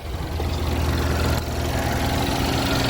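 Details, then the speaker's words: 2012 Chevy Equinox/Terrain after an engine install and exhaust replacement: steady, smooth idle with no misses or knocks. The earlier rough running with pending code P0011 came from swapped intake and exhaust camshaft connectors, now corrected. "step on a troubleshooting always assume you're the problem which i was running great now"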